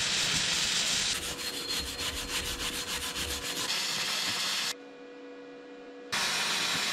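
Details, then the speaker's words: Vevor MIG-250 running gasless flux-core wire on negative polarity with roughly set voltage and wire speed: a steady frying crackle with a light regular pulse and no popping bursts; a clean weld without spatter lumps, leaving yellow dust. "See oli mu parim Nüüd on hea... klimpe pole ollagi... sellega on vist gaasita traadikeevitus klaar"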